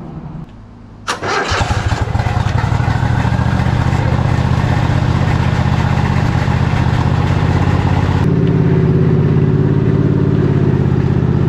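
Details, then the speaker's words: Craftsman GT3000 lawn tractor, 23 hp Kohler Pro engine, after a switch bypassed by jumping: brief crank, then catches and runs steady and even, no misses or knocks; runs and drives, mowing not working. "I call that a win. $125 for this tractor, and it runs and it drives, it does the things minus mowing,"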